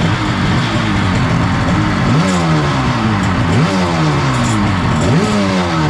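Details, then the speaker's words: 1994 Kawasaki 750SX two-stroke jet ski, about 30 years old, revived after years unused, cooling water hooked up: runs steadily, pitch rising and falling cleanly with throttle blips. Brown water flushing out, heavy oil/gas smoke. "the good news is it started um I have to say I am tickled pink if that was a thing"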